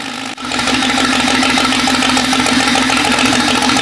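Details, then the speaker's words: Jeep 5.0 stroker build with longer pushrods: engine catches and settles into an uneven, lumpy beat with a stumble about three times a second. A header temperature of about 220° versus 400° shows one middle cylinder dead; owner suspects pushrod length or lifter bleed-down. "so the middle one for sure ain't hitting which I'm pretty sure ironically was the opposite of what we thought was the outer cylinders that was taking"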